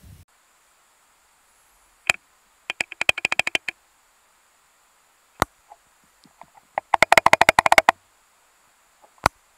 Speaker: And all I did on here was just loosen that bolt off a bit, and we put the connectors